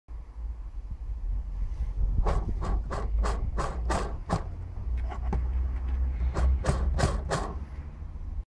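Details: Renault Laguna 3, 2.0 dCi 175 hp diesel (M9R800), 230,000 km: idle with bursts of sharp metallic clacks about three a second from a broken clutch release bearing.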